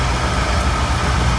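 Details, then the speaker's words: Old oil boiler burner, after nozzle service (nozzle problem suspected, last cleaned about a year ago): steady even roar with deep low rumble, no pulsing, sputter or misfire; firing cleanly and running normally. "Alright. Ain't no rocket science, but I mean, it's running. Yeah."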